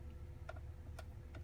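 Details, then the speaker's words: 2022 Tesla Model Y after the mirror trim cap was refitted with a makeshift fix: three crisp taps die away cleanly with no rattle; the noise is gone. "you don't hear it anymore sound's pretty much gone hack fix but it worked"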